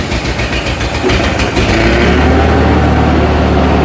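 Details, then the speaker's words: Ford 8N 6V tractor abandoned about 8 years, after finding old green fuel and getting fuel flowing: rough, lumpy run with a low throb that only keeps going on choke; carburetor needs tuning. "Okay it definitely needs a little bit of Choke to stay running right now but it's running good"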